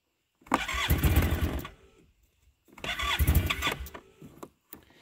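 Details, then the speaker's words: Arctic Cat Norseman after sitting all night, fresh gas with Sea Foam: two bursts of brisk starter cranking, about a second each, no firing; cranks but won't start. Owner suspects a slow vacuum leak draining fuel or a bad fuel pump. "nope come on brand-new gas in there yesterday so it is not a gas issue"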